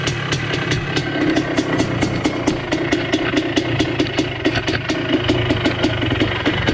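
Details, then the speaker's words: 1980 Honda CR250 Elsinore two-stroke, restored, first start in a decade, carb not yet tuned: crisp, even popping at steady idle, about four firings a second, no misses; healthy normal idle. "she's alive i don't know if it'll stay idling here i haven't really played with the carb yet but he's alive my god sounds good too"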